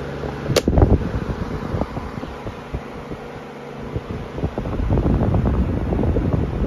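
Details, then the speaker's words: Amazon Basics F26-16A air circulator floor fan, new, on high speed; hum with irregular ticks and rattles growing toward the end, something rubbing or loose, cause unclear: abnormal fan noise. "a little bit High well that doesn't sound good"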